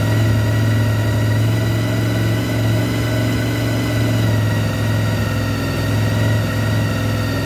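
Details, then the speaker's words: 1993 Honda VFR750F, carbs cleaned, first start after sitting over a year: steady, even idle with a smooth low burble and no misses, knocks or ticks, checked for leaks and that it starts and runs; normal idle. "basically i'm just doing that to make sure that there's no leaks and that it is starting and running"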